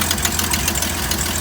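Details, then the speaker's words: 1972 GMC tow truck after sitting 22 years: steady, even idle with smooth regular exhaust pulse, slight exhaust leak, no blow-by, knocks or misses; a healthy engine. "Boy, that sounds beautiful. That's a sweet little motor. It is. It always was."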